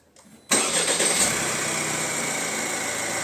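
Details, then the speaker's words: Opel Insignia, about 2020, 1.6 B16DTH diesel, 136,000 km, previously with timing-chain rattle on start: hot restart after sitting 10–15 minutes, after repair; brief crank, instant catch, even idle with no chain rattle. "Вот так вот Вот так она будет теперь заводиться с машин"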